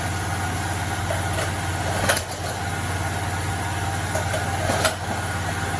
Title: What causes a rattling noise in a generator?